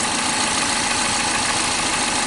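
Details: 2007 Toyota Corolla (Fielder), codes P0335, P0302, P0304, rough idle, checked with an oscilloscope cylinder by cylinder: uneven, lumpy idle under a rushing engine noise, the beat stumbling now and then; cylinders two and four are misfiring.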